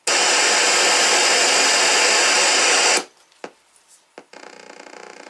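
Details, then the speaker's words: Atari 600XL after replacing the sound chip to fix very low volume: a loud, full, steady hiss tone for three seconds that cuts off cleanly. Sound output is now at normal volume. "so it was the chip this chip over here so i put in the new chip and it works perfect"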